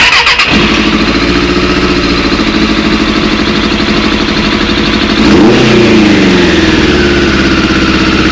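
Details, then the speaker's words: Suzuki Bandit 600 four-cylinder after carburetor rebuild with 98 jets, carbs not fully connected: revs slightly uneven, stuttering through rise; slight misfire, better than before, owner thinks carbs need balancing. "still sounds a bit misf fary but not as bad as what it did"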